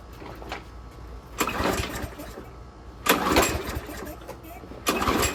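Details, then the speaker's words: Trash-found mower: three short starter bursts about every two seconds, engine coughs briefly but never catches; the choke lever is stuck shut, so it won't start. "so I won't run or won't start with that that choke shut"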